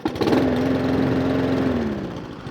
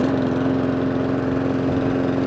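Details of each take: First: Mountfield SP454 single-cylinder self-propelled mower after hunting/surging repair: idle settles slow and low with a steady hum that sags toward the end; idle speed set slightly too low, risking stalling. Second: Mountfield SP454 lawn mower after the hunting fix, with the too-low idle raised slightly by screwdriver; slight smoke from slightly overfilled oil. An even, steady drone at constant pitch with no hunting or surging, like a little vintage engine; normal running.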